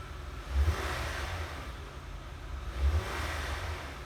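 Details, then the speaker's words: 2005–2010 Honda Odyssey, about 190,000 miles, after fuel pump module and fuel pressure regulator replacement for slow starting: low, steady idle with two brief throttle swells settling back evenly, good throttle response, no misfire or stumble; normal idle. "good throttle response and I don't see any leagues that's a good thing"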